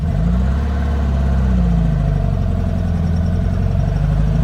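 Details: 1957 VW Oval Beetle with swapped-in 1800cc air-cooled flat-four, after cam gear change chasing earlier noise: even idle with brief light rev and smooth return, no clatter or misfire; sounds good.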